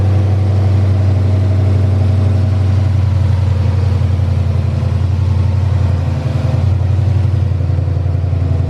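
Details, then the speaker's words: Freshly installed 5.2L Coyote V8, first start, new tune: initial tensioner clicking stopped once oil pressure built; deep steady idle with even beat, no ticking or clatter; normal idle. "as soon as the car ran built-up oil pressure boom all that noise went away and it was perfect"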